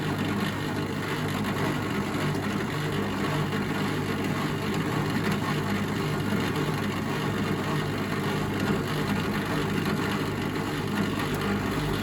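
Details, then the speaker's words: Bosch WFF1401 washing machine motor after new bearings and brushes, running on program 12: steady loud drone with a coarse, rough hum underneath; sounds rough, unclear if better than before. "It's loud, So I would say that sounded pretty rough."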